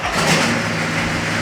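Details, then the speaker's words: Nissan GQ Patrol diesel, cold start the next day after the two loose top gearbox bolts were tightened to fix misalignment: a steady, even idle with no scraping or grinding. Healthy; the fix worked. "And now it's the next day, so this thing's cold, so it's going to be a bit of a cold start, but we'll see how well she starts on a cold start."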